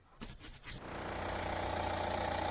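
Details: Ford Fiesta Mk7 1.4 diesel (2009), after replacing the serpentine/alternator belt that had slipped and screeched when cold: brief crank, then the engine fires and settles into a steady, even idle with no squeal or chirp; normal idle.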